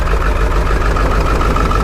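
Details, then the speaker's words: Ford 7.3 Powerstroke diesel, super shaky idle, blow-by not bad; lumping, stumbling choppy skipping beat, rough idle needing injectors. "Blow by it's actually not that bad super shaky never goes away and the truck forms all the way up you don't want that truck it's going to need injectors"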